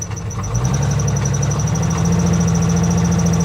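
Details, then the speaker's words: Cheap salvage Jeep: uneven lumpy idle with irregular low chuffing about four a second; noise vanishes when revved, not a rod knock; bad misfire. "That doesn't sound like a rod knock to me. And I can rev it up and I don't hear it. She's definitely missing. She's misfiring badly."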